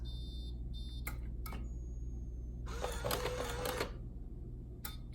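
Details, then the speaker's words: Coinco bill validator (BA/Mag/MagPro/BillPro series) at startup: a faint high whistle as the drive motor tries to run but can't turn the belts, then a short stacker whir; bad drive motor, needs repair. "Okay now if you start it up and it sounds like this, that's a bad drive motor, it's gonna need to be repaired. A bad drive motor can also sound something like this."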